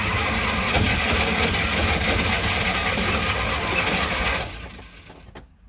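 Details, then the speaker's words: Classic Fiat 500 after electrical faults were fixed so the starter now spins correctly, with quick-start spray added: a fast, even cranking rhythm with brief attempts to catch that never settle into running. It is close to starting but doesn't; cause unconfirmed. "it's just about ready to [Music] go not quite there yet but it's certainly just about to start"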